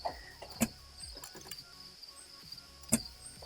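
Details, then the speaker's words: Mitsubishi Eclipse GSX (4G63), first start attempt in 4 years, in neutral. Two sharp single clicks a couple of seconds apart and no cranking. Click but no crank; the owner suspects the turn signal or a missing connector, not confirmed. "I hear clicking something is clicking"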